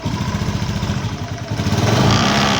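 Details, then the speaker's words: Honda Beat FI (ESP) scooter at idle: a buzzy, chattering rattle from the right side, pulsing with the engine. A worn mounting boss on the air-fan cover lets the cover vibrate. Repair involved grinding the boss. "ya tuh ya teman-teman kalau dilihat tuh bunyi ah dia terjadi kausan pada bosnya ini teman-teman Bos penutup kipas roller eh sori kipas udara ya nih tuh bunyi maka dia menyebabkan bunyi ngerenger pada saat motor dinyalakan"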